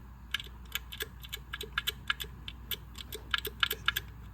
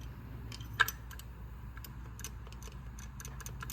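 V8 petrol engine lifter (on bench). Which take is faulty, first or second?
first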